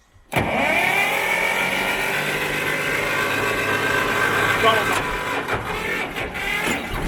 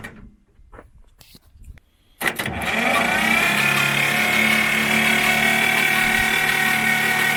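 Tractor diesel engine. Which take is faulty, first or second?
second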